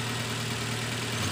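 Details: Nissan X-Trail T31 2.5 XC with Xtronic CVT after spark plug replacement: steady even idle, smooth low hum, no misses or shake; earlier idle vibration and coughing gone, blamed on worn-out iridium spark plugs.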